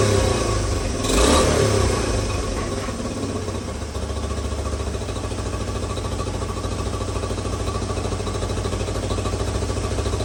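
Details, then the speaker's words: 1986 Honda CT110 at first start after a carburetor rebuild, before the mixture screw is adjusted. A quick blip, then a steady, even single-cylinder putter with a regular beat; normal running. "Actually sounds pretty good."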